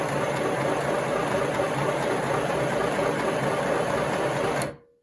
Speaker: Now I'll just use this switch a little bit, and then I'll stop it. And then you'll hear the difference.